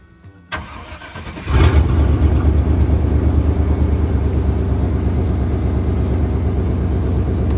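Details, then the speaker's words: Chevy OBS service truck started after fuel pump replacement; brief cranking, then it fires right up and settles into a steady even idle with no fuel leaking; normal start. "She fired right up. All right, now that I got that fuel pump changed out,"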